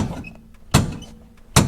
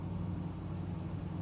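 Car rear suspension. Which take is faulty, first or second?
first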